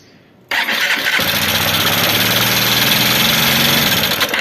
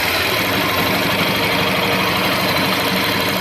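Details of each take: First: Honda Bros 150 motorcycle after a clutch disc change, oil level correct: engine catches and settles into a fast idle with busy metallic ticking on top; suspected rocker/valvetrain noise from oil not reaching the rockers and camshaft. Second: Honda Bros 150 motorcycle idling after the repair: even, steady single-cylinder putter with no misses, rattles or knocks; normal idle, problem resolved.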